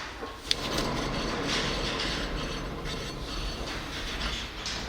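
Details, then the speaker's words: 2005 Scion tC with 169,000 miles, front passenger wheel spun by hand; steady gritty rumble and hum from a worn wheel bearing, causing loud cabin noise while driving, bearing to be replaced. "that humming do you hear how bad it is and that is causing a lot of noise in the cabin when I Drive it"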